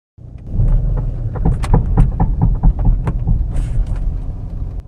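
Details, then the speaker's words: Audi A6 C5 pulling away with steering on full left lock: sharp clicks over low rumble, absent on right lock, indicating a worn left outer CV joint. "I hope it's clearly audible in the video how the CV joint is clicking"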